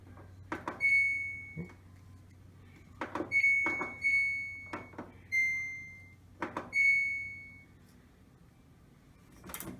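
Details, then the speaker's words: Samsung dryer model DV45H7000GW/A2 drum squeaking in uneven high, thin bursts; support rollers or idler pulley suspected, fixed with a replacement kit. "reason why i'm doing this fix is because driver squeeze like crazy"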